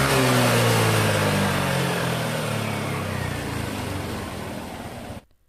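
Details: Yamaha NMAX scooter after repair of a rough-sounding head, diagnosed as a loose rocker arm (pelatuk) rather than the cam chain: a few quick blips, then rpm settles to a smooth, even idle with no valve-train tapping; it sounds healthy.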